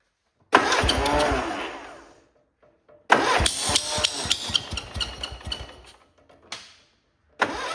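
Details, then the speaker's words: Cub Cadet Cyclops with Kohler 18 engine, cowling and hood on: it cranks and catches in rough, loud chuffing bursts, then stops and restarts. An electric clutch bearing was first suspected, but the cause is a blown head gasket. "All it is a blown head gasket. So we're going to take that side apart."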